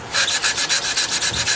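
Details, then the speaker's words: 460 rebuild, lapping valves with grinding compound and suction-cup tool: rhythmic gritty rasping, about six strokes a second, as valve is spun on its seat, getting smoother as seat beds in. "Stick that in there like that. You can hear this stuff really grinding and cutting."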